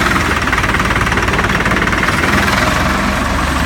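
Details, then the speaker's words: Salsco 12-inch chipper, 4-cylinder Perkins diesel at idle; clutch lever pushed to engage PTO shaft; steady even diesel clatter with no slipping squeal or grinding; normal clutch engagement. "Now the clutch is engaged. You'll see the shaft turning for the PTO."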